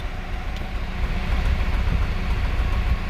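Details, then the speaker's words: Ford Escape 1.6 four-cylinder petrol idling, heard at the exhaust: uneven, skipping low puffs and a shaking engine, a strong misfire indicating one dead cylinder. There is no fuel smell in the exhaust. "زي فرقعه، مش فرقعه يعني تفويته، بب بب بب بب بب. يعني معنى كده ان في سلندر اوريدي ميت، يبقى انا عندي دلوقتي سلندر ميت."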